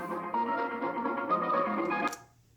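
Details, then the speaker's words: Four-to-five-year-old Microsoft Surface laptop used as a control against rattling Dell Alienware x17 R2 speakers: short musical passage plays cleanly through small speakers with no buzz or rattle. "so i'll play it so we can hear the non-rattling noise so i'll begin sounds okay right"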